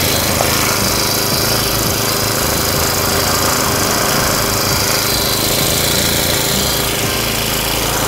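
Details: Honda GX35 brush-cutter engine after a cylinder re-liner and new piston rings, running on petrol during the test run: a steady, high buzzing run with no knock or misfire. It sounds healthy and even.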